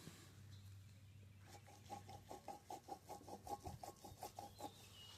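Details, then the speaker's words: 2009 Harley-Davidson Road King Classic FLHRC: hand-spun front wheel gives rough rhythmic clicking, two to three a second, from a failed right front wheel bearing with about 8,600 miles; the ABS-side bearing is quiet by comparison. "I was hearing a noise in the front end. And these wheel bearings, my right wheel bearing has failed."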